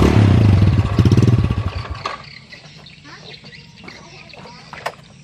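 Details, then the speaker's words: Yamaha Jupiter motorcycle with strong compression that won't run below about 3000 rpm, dying when revs drop to 2000; runs rough on throttle briefly then falls away and stalls; stalling at idle from a clogged pilot jet in the carburetor. "sedangkan motor ini itu disekitar 3000rpm kebawah nggak mau hidup Maksudnya nggak mau ya harus FM tinggi terus diatas 3000 diturunkan dikit di 2000 and dia langsung mati mesin"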